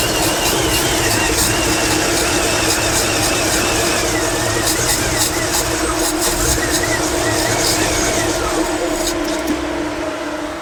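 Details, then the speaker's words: 1955 Chevrolet Nomad after distributor reinstall: a steady starter churn of about four turns a second with no catch, cranking but not firing. The pump isn't pushing fuel; owner suspects something disconnected or wrongly connected. "it's not pushing fuel for some reason uh I have something disconnected wrong or connected wrong"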